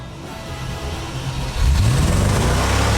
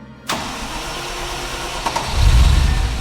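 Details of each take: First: Range Rover starting: catches, settles, then revs cleanly with no knocks or misses. It runs beautifully. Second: The starter churns steadily and the engine almost catches with a brief rumble but never runs. It seems to have a little spark and fuel is known to be flowing, so the cause is unclear: a crank no-start.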